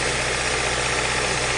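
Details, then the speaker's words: Rough, lumpy idle with uneven stumbling exhaust beat; cylinder-drop test shows no RPM change when cylinder two is disabled, while cylinders one, three and four drop RPM, so misfire is in cylinder number two. "nothing look at that cylinder number two absolutely no change so this is a cylinder number two problem"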